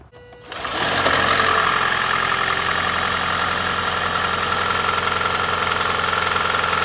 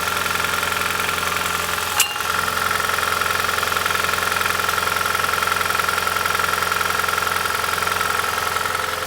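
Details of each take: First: 2010 Prius (3rd gen) cold morning start after EGR test, owner suspecting EGR rather than head gasket for death rattle: cranks, catches within a second, settles into even idle with no rattle or knock; smooth cold start. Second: 2010 Prius (3rd gen) morning cold start: even clatter about 160 per minute over engine hum, the "death rattle"; traced to clogged EGR passages with heavy buildup, not head gasket; rough rattling cold start.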